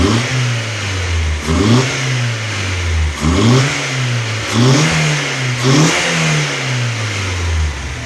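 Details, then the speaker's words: Newly rebuilt Audi A4 B5 1.8T turbo engine (GT2860RS) after its first run-in. Several clean throttle blips, with revs rising and falling smoothly back to a steady idle and no clatter or knocking; it sounds healthy. "Nüüd kuuleb ikka nagu mootori hääli, mitte igasugu klõbinaid, kolinaid, mölinaid."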